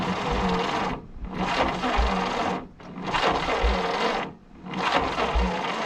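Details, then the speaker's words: 1951 Willys CJ3A Jeep off the road 52 years, 6-volt battery: repeated slow cranking bursts about a second long with pauses, one small pop; cranking no-start. "Yeah, we still got charged. Good. It did pop. Just a little, but it did."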